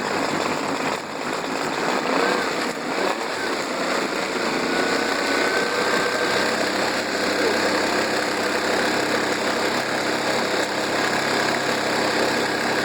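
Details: Circa-1999 Mercury 40 hp four-stroke outboard with three carbs, long sitting and previously idling rough, after 45 minutes of carb synchronisation with CarbTune Pro: steady, even, lightly buzzy idle, maybe slightly fast; running much better.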